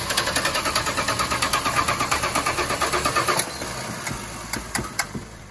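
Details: 1986 Dodge D150 Royal SE, 225ci six-cylinder, after installing a new-old-stock carburetor: steady starter cranking at about three beats a second with no firing, then stops; fuel starvation from the new carb's stuck float needle, fixed by fitting the old needle and seat.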